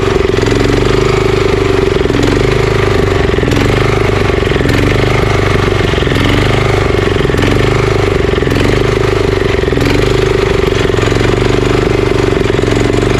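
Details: Honda GX340 11HP pressure washer engine, previously seized, carburetor leaking at JB Weld repair, started on choke: steady single-cylinder idle with slight irregular rise and fall; surging likely from carburetor not fully clean.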